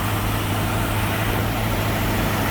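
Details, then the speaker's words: 1965 Mustang small-block Ford V8, 650 CFM Street Avenger carb, cold and warming up: deep, even rumble on fast idle at about 1200 rpm; electronic choke function uncertain. "I'd say it's about 1200 right now."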